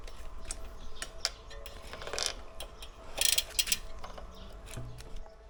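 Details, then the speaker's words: Aliexpress carbon road bike after replacing press-fit bottom bracket with ceramic-bearing unit to fix creak, cranks hand-spun: soft free ratchet clicks, no grinding or drag; spins much better, though creak later persisted while riding. "ось слухайте керамічні підшипники класно Так де наш тут був пробочка Да мені подобається крутиться набагато краще"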